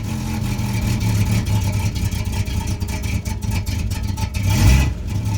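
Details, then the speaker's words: Oldsmobile engine, freshly broken in, at about quarter throttle (~1000 rpm guessed) then throttle released: roughens and stumbles, won't idle without feathering gas; vacuum leak from EGR plate needing replacement. "it doesn't like it very much. And that's because of that vacuum leak. So I'll have to replace that EGR plate before I can drive it down the road again."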